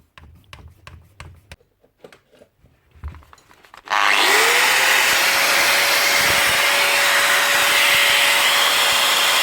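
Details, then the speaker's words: Older Bosch GWS9-115 900 W 4.5-inch angle grinder after repair: brushes jammed by packed-in fiberglass were cleaned, and the motor now spins up to a steady, even high whine with no sputter or surging. Runs perfectly. "look at that working perfect"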